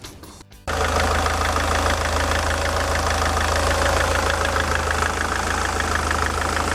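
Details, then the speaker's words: SsangYong Kyron D20DT diesel after drive belt and tensioner work: steady run with a light, fairly regular knock about three per second; source not the belt area, still unknown; engine knock. "Я вот чувствую, что есть какой-то построенный стук, но уже не отсюда. Я потом продолжу диагностику этого двигателя."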